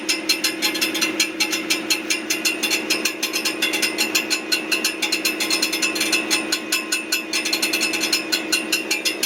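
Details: Brand-new 2023 Ford F150 with 400 miles, running: fast, even metallic ticking and rattling, about five or six clicks a second, near the transmission; cause suspected, not confirmed.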